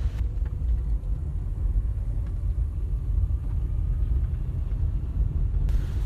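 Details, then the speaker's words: Nissan Sylphy after replacing subframe (元宝梁) bushings, OEM strut bearings, and steering intermediate shaft joint, road test over rough road: steady low road rumble, no knocks or clunks; chassis noise fixed, quiet suspension. "这个效果马上就上来了，新车状态，大哥也非常满意，这台车咱就这么交了。"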